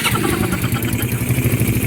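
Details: Small motorcycle engine after a full cylinder-head refresh with only the valves not replaced; just started, idling with an even, steady thump and no top-end ticking, normal.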